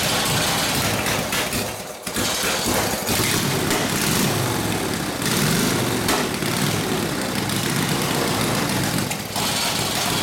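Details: Harley WL 45ci flathead V-twin in a 1932-34 RL frame, no throttle, barely-cracked idle, already hot, no choke: uneven, stumbling run, note dipping and catching, near stall around two seconds; possible fuel starvation, gas perhaps not reaching the fuel line.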